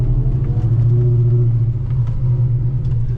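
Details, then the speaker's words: 1991 Ford Mustang Foxbody with Coyote V8 swap, automatic, new exhaust, computer swapped, first test drive cruising: deep, even rumble with smooth steady pulse, no rasp or rattle; healthy normal exhaust note. "You guys can hear that exhaust. It sounds pretty good. Oh yeah, this thing rips."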